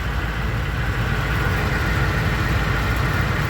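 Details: Truck idling normally right after fuel filter replacement and three key-on primes, odometer about 350,677: steady, even idle with a low smooth rumble, no stumbles or knocks, no leaks.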